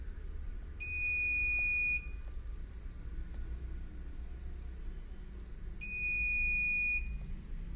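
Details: CP Plus DVR running KVMS Pro: long shrill beeps about a second each, repeating roughly every five seconds over a low hum; the recorder's alarm buzzer, cause unknown.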